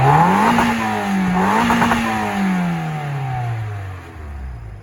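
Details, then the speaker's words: Mazda MX-5 Mk2 with single exhaust tip: engine revved twice, pitch climbing and falling cleanly, then settling toward idle with no knocks or rattles; normal healthy revving. "So as you can see, it only has a single exhaust tip at the moment, which will be getting upgraded to a 4 tip. But just rev her up for you."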